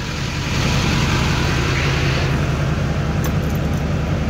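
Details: Diesel truck idling after FASS Titanium fuel filter and water separator replacement and priming, checking for leaks: steady, even low rumble with no misses or surging; normal idle.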